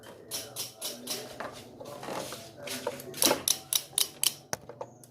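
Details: Honda Vario 110 carburettor scooter: quick sharp starter clicks about four a second with no cranking though the battery is fine, caused by a faulty starter relay circuit.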